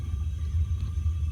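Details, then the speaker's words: Gas water heater with suspected thermocouple shutoff problem, relit pilot, valve on, thermostat turned up; main burner running with steady even low roar, no popping or flutter — normal gas burner operation. "You can hear that. The burner started working. So you can look back down here into the burn chamber again, and you're going to see a lot more flame now. So there's the entire burner is going."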